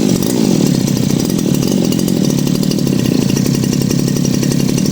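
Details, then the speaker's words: Thai 411-type two-stroke brush cutter after crankshaft seal replacement for hard starting and stalling at idle: smooth, even idle with a steady buzz, no hunting or dying; runs normally after idle tuning. "สตาร์ทติดแล้วก็ฟังเสียงเครื่องครับเรียบร้อยดีครับแล้วก็ลองดูเดินเบาดูครับ"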